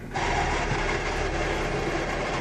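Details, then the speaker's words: 1999 Plymouth Neon Style, manual, idle: a gravelly whir starts when the clutch is let out and mostly goes away with the clutch in. Owner says it needs a transmission, and it also pops out of 5th. Worn gearbox bearings suspected. "I don't know if we can hear that on the film, but I'm assuming we're going to be able to. It makes quite the noise. Now clutch back in. Noise kind of goes away."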